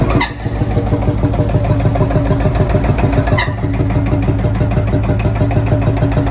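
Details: Field Marshall Series 3A single-cylinder diesel, first start after rebore and oversize piston fitted (a ring had snapped, likely from bore pitting); slow heavy even thump, no knock, runs healthy and sounds better than before.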